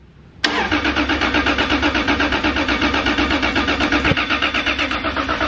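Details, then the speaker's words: Newly built higher-compression 3.4L Toyota 2JZ cranking on its first start-up prime, with a steady, even beat of about four pulses a second and no gaps; all cylinders are compressing evenly, so cranking is normal, with no hydrolock and with oil pressure. "it sounds like all the cylinders are there well no yeah we didn't realize with the RB you could physically hear that it was missing a cylinder"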